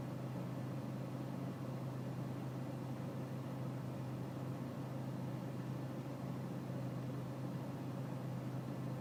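Diesel settles into a steady low clatter at idle with a slightly uneven, rumbling beat underneath; a rough idle, cause not yet pinned down.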